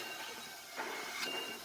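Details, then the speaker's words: Mitsubishi 4G53 engine in a Clark GC S25S forklift, suspected of missing on two cylinders with very low power, leak-down test at 40 psi, engine off: steady airy hiss as air fed into cylinder 2 escapes into cylinder 3; cylinder-to-cylinder leakage. "Pressure going into cylinder number 2 is also going out to cylinder number 3."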